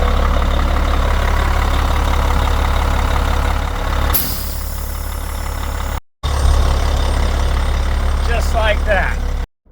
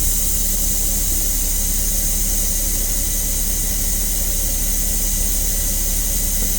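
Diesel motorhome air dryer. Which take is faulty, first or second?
first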